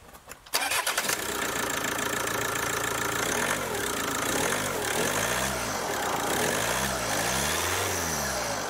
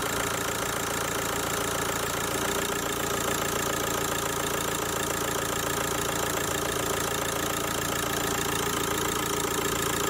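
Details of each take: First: Kia Ceed diesel with Bosch EDC16 engine ECU, test with the original ECU refitted: short crank, catches quickly and settles into an even diesel idle with no misses or knocks; starts and runs normally. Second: Kia Ceed diesel with Bosch EDC16, cloned replacement ECU fitted: steady idle with a hard, even rattling clatter throughout; the injectors knock because the new ECU's injector adaptation has not been done yet.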